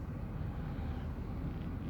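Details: 2009 VW Golf MK6 1.4 TSI turbo DSG warmed to 90°C, started in very cold weather: smooth, even low rumble with no knocks, ticks or misses, settling into a steady normal warm idle.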